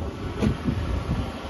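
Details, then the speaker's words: Buick Park Avenue Series 2 3800 V6 cold start in winter cold after slow cranking: uneven, lumpy low idle with irregular surges and wind over the mic; rough cold idle before warm-up. "whoa that's a very rough start the 3800 make that noise before we're gonna have to run and warm up oh boy"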